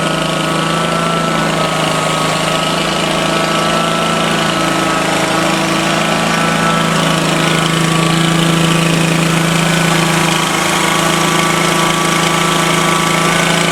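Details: Exmark Lazer-Z zero-turn after hydraulic oil and filter change; steady engine with rough growl and grinding from the hydraulic pump, trapped air in the hydrostatic drive still working out after settling.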